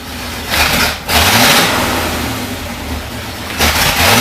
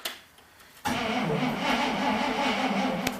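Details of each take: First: 1973 International Loadstar Blue Bird bus engine, after an accelerator pump diaphragm replacement, revs strongly and cleanly in two bursts and settles to a steady idle without stumbling. It has good oil pressure and sounds healthy. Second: 1973 IH Loadstar Blue Bird bus with a Holley two-barrel carburetor, hard starting: quiet, then the engine churns unevenly for a few seconds without settling when throttled; wetness shows a failed accelerator pump diaphragm; choke linkage also frozen.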